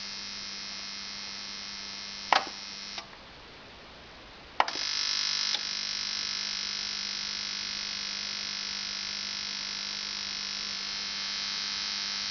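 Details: Onkyo TX-NR709 AV receiver after about 1 hour of running: harsh, steady high buzz like an electric shaver over a low hum, cutting out briefly then returning; receiver fault, cause unknown.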